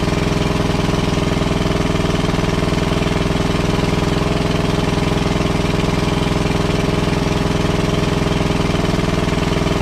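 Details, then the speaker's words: WWII Chore Horse 300-watt charging set, model CH1 395-5, original 1940-41 paint, battery charger for communication equipment; after slight throttle-screw adjustment the single-cylinder engine thumps along steadily, about 3.5 firings a second, no misses or knocks; runs healthy. "Right on, it works great."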